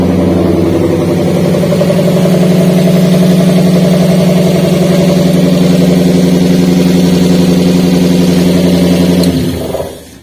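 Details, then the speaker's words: Daihatsu Gran Max petrol engine at idle, lacking power: lumpy uneven beat, engine shaking hard, rough exhaust note; one cylinder misfiring from a dead ignition coil. "untuk suaranya seperti dia untuk posisi mesinnya itu bergetar hebat Kemudian untuk suara di kenalpotnya itu tidak halus"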